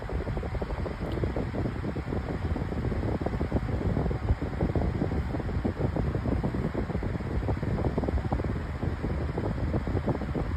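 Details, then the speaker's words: Lasko 18-inch oscillating table fan with a new replacement blade: even steady whoosh over smooth motor hum, no clicks, wobble or scraping; performs much better than with the original blade. "And it's working pretty good. Yeah, it's it's really good, but it performs a lot better with this plate as you guys can tell."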